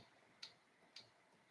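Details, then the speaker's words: Neje Master 2 laser engraver after auto-home fix: axis limit switch, previously not connected to the Arduino board, now supposedly wired per the maker's guide so Lightburn should detect homing; three crisp, light clicks about half a second apart in a quiet room, switch actuating normally. "That's the switch on the board being clicked. And that before was not connected to the Arduino board."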